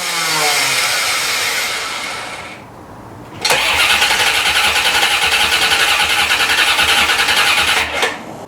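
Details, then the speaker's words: 1990 C4 Corvette, rebuilt after a blown head gasket and five years in pieces: even cranking, about 3.5 turns a second, never firing; battery doubted, then no fuel suspected because it was parked nearly empty. "well she does not want to start i might even have to go get a battery"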